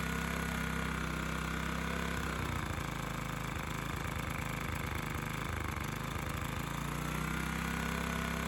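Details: Honda EX1000 1kW petrol suitcase generator, side covers removed, running after simply adding fuel despite being reported not working; steady small-engine drone with slight hunting under a 350 W motor load, no knocks or misses; normal running.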